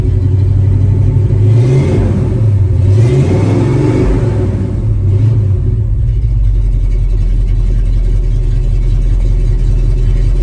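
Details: 1974 Ford F-250 V8 after fitting two new mufflers, mocked up and not fully bolted: deep even rumble climbing and dropping cleanly through two throttle blips; mellow, not overbearing for DMV — healthy exhaust note.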